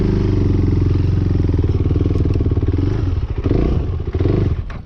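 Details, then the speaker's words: KTM 390 Duke single-cylinder with common stalling at idle and low speed, during slow-speed riding: uneven thump at low revs, stumbles and dies within about five seconds. Owner doubts dirty throttle body and plans new spark plug and air filter. "So I did a lot of sort of slow speed practice in the backyard. And what concerns me is the low speed stalling is going to make it difficult to practice."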